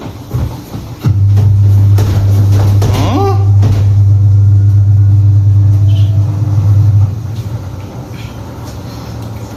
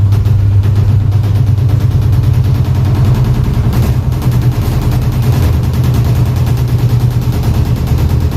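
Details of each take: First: Automatic washing machine about 5–6 years old, drum banging during spin, after replacing all four suspension rods: smooth, even low hum about six seconds then winding down, no drum knocking; spin normal, fixed. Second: Automatic top-load washing machine about 5–6 years old: heavy, rapid thumping and deep rumble during the spin cycle, getting louder and louder as the drum knocks the cabinet; owner suspects the suspension rods.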